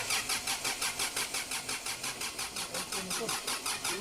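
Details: 2009 Kia Sorento CRDi diesel, cranks but won't start; the fuel pump delivers fuel but the injectors don't click: starter cranks evenly at about three compression beats per second with no firing; suction control valve open circuit.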